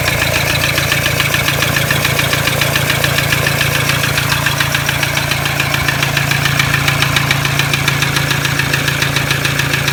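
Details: Toyota Hilux D-4D 1KD-FTV diesel at idle: steady rattling knock about two a second, heavier than normal clatter; disconnecting each injector didn't stop it, knock reduced on cylinder one; owner suspects cracked piston, unconfirmed.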